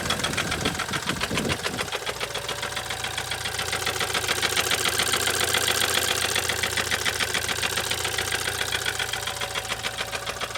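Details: BMW N20 turbo four-cylinder from a Z4, just over 110,000 miles, oil changed about every 10k miles, recorded running in the car before removal: loud, rapid, regular rod knock over a rough idle, from a spun rod bearing.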